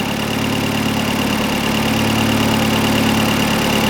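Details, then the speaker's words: Audi TTS with freshly built EA113 big-turbo race engine, first startup after installation, air filter fitted loose, vacuum lines not yet connected; steady, even, smooth idle with no knocks or misses, runs really nice. "Uh let's see if it starts. That runs really nice."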